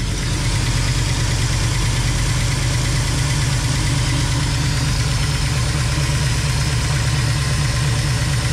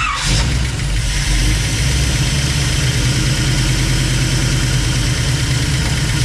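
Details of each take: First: Rat rod tow truck V8 after swapping aluminium rockers for stainless ones, valve cover off: deep even idle with light quick ticking in step with engine speed; one rocker suspected of issues, lash needs adjusting. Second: Rat rod tow truck engine after readjusting new stainless steel rockers, valve cover off: steady low idle, even smooth beat, no loud ticking from this bank; sounds much quieter and properly adjusted.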